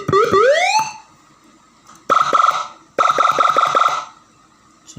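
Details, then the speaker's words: Serviced siren module after repair: a clean rising wail, then quick, even warbling bursts, each cycle crisp and full; the siren sounds good and works properly. "lumayan, suaranya bagus. Ini suaranya udah bagus."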